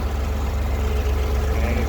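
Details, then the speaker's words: 1962 Chevrolet Corvair Monza, 53,000 miles, flat-six just started after full tune-up, rebuilt carbs, fresh oil: smooth, even low idle burble, no ticking, valve or knocking noise; normal idle, runs great. "And as you can see, I don't know if you can hear that, but there's no nick, there's no, valve noise, motor noise, nothing. Runs great."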